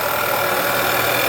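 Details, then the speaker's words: 2009 VW Tiguan, 86,000 miles, at idle: quick even ticking over a smooth idle, normal direct-injection noise, louder than older injection systems; nothing wrong. "okay you can hear all that that noise uh that's normal okay these have like a direct injection system it makes a lot more noise then the older style system is made"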